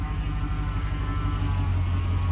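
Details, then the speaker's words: 1999 Holden VT Commodore Berlina wagon 5.7L V8, idling then blipped: steady power steering pump whine, pump sounds awful. Fluid leaks from a steering hose and drips off the rack. "I'll just give it a kick in the guts so you can hear it. I don't want it to get too warm, obviously. That traditional power steer whine."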